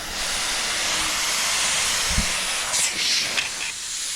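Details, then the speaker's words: Truck on a K100E foot-valve system, compressor air tapped in: steady loud hiss for a couple of seconds, then handling; air escaping from an open fitting for the air jack, to be blocked off. "we'll see how many le le leaks I have already I have have one right there"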